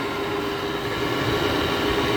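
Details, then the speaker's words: 2009 GE 10,000 BTU window air conditioner made by Samsung, first start in a year, WD-40 sprayed in stiff Broad Ocean fan motor: steady loud hum with a sharp constant mid-pitched whine; noisy fan motor bearing. "what they get for using a cheesy broad ocean fan motor that right there is not condensate that's just wd-40 i spray a lot of it in the fan motor kenny it's so loud you can't even hear a little hazel beeper on it"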